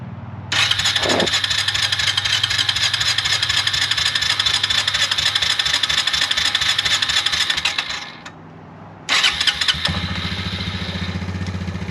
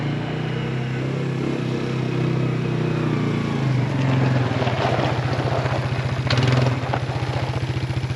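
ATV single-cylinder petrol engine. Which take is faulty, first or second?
second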